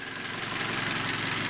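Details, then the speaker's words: Hyundai Elantra 1.8 G4NB after engine overhaul, warm (about 90°C), 143,994 km, idling indoors with hood open: quiet, even idle with a smooth fast beat and light top-end hiss, no knocking; one stored error. "вот друзья мои машина работает но внутри помещения всегда звук по-другому"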